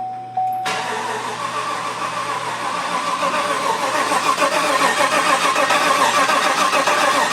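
Starter spins the engine at a steady, even crank rhythm with no firing catching; cranking without starting, priming oil before first start.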